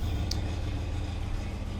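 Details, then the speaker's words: 1972 Rover P6 3500 V8 automatic barn find at idle, rear silencer holed with most exhaust escaping there: deep uneven pulsing rumble with loose chuffing exhaust beat; exhaust leak from rear box. "you see it's supposed to just come out there but most of it comes out right there oh it doesn't sound that good"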